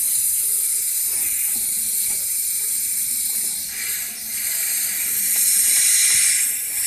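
A steady high airy hiss with faint irregular clicks under it; the air conditioning compressor is hissing, cause not yet found.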